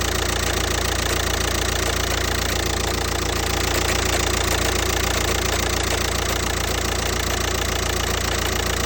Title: Was für ein Problem kann das sein? Woher kommt das Klopfgeräusch? Audi A3 8P 2.0 TDI (BMM)